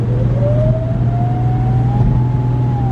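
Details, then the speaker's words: Audi B5 S4 twin-turbo after boost leak fixes: clear whistling tone climbs in pitch like a distant siren over steady engine drone. Owner plans to check inlet and charge pipe clamps; cause unknown. "it's kind of funny it almost sounds like a oh yeah it definitely sounds different like after I do a whoa it almost sounds like a"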